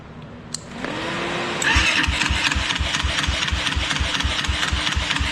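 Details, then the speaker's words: Tao Tao YFZ250 ATV first start after lost spark was restored, running a new spark plug whose gap is suspect: starter whirr, then a loud, uneven popping idle. It ran rough and disliked throttle; the owner suspects the timing is still off. "Okay, so she runs, but the timing is definitely still off. Because I just hit the gas and it did not like that."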